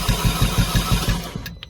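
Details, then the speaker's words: 2011 Audi A4 2.0T with no start and compression of about 30 psi on all cylinders: quick, even cranking at about six beats a second with no firing, sounding hollow; gasoline smell in the oil, cause not confirmed. "Nothing. Try again. So let me know what you guys think. Get some more sound. Sounds hollow."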